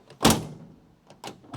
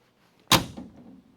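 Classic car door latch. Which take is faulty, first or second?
first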